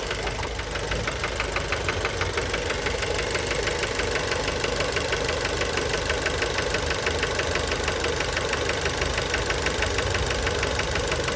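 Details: Fiat Bravo 2 1.4 T-Jet 150 HP at 215,000 km, after recent maintenance, recorded close to the engine. It idles with a steady, hard metallic knock about three times a second from worn rod bearings; the cause is unknown and the car was scrapped.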